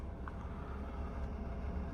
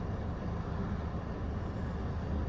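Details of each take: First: OutEquipPro camper AC in sleep mode set to 80°F, heard inside the van: steady low whooshing hum with compressor off on standby; fan keeps running constantly and unit is not that quiet. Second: OutEquipPro camper AC, 90°F sunny afternoon, set to medium at 76: compressor kicks in with a steady, even low hum and rumble, no knocks or rattles; running normally and soon blowing cold air.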